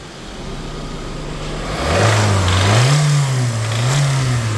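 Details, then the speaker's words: 2018 Hyundai petrol engine revved in short blips: rough internal rattle as the throttle opens, misfire on cylinders two, three and four, timing pulled back under acceleration; diagnosed as engine failure. "under acceleration it starts pulling back timing because of that rattle that you can hear"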